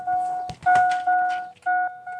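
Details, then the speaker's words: 2000 Chevy Silverado 5.3L that won't start because a failing aftermarket alarm won't unlock, with the siren already unhooked: a mid-pitched 'dong' chime repeating about every half second without stopping. The alarm is chiming continuously. "Just going to unhook the battery cuz there's going to be a lot of cutting and I'm tired of listening to that dong dong dong dong dong dong."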